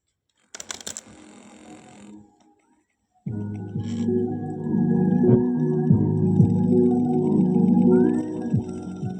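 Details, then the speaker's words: Sony 2200 W music system cassette deck playing music dragged, low and heavy, as the tape runs slow. A single motor drives both spindles and play speed is adjustable by a screw. "Play में चला गया। इसकी आवाज बहुत भारी आ रही है। बहुत ज्यादा। आवाज बहुत भारी आ रही है इसकी।"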